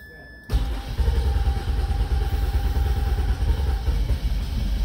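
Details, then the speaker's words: 2004 Mazda 6 3.0 V6 crank-no-start, erratic cranking rpm reading: quiet, then fires on sprayed starting fluid into a rough, uneven low rumble and shuts off; fuel delivery fault suspected. "you see now he sprayed and the car started shut off so i believe we have a gas issue in this car"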